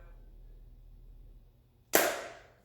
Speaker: okay so again about three seconds and this guy energized and power is on